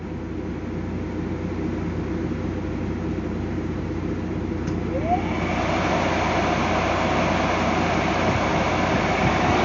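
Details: Transformer cooling-fan induction motor on a solo dry-run test via direct-online starter after repair (winding insulation 208 MΩ): steady hum and rumble, rising tone as it spins up, then smooth; normal running.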